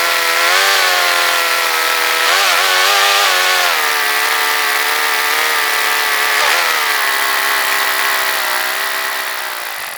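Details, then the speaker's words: Honda HRX217 lawnmower, warm with the choke mechanism freed up: small engine drones at fairly steady speed, pitch wavering and dipping, and will only run with the choke on; it sputtered and died once warm, traced to a clogged fuel line. "So apparently for some reason the engine will not run without the choke on. So either it's not getting fuel or the carburetor is still clogged up."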